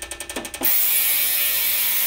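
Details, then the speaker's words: Fuel injectors on a cleaner/tester during cleaning cycle: quick even ticking about ten per second, then a steady loud hiss; injectors opening and closing normally. "okay you can hear that i can hear him firing"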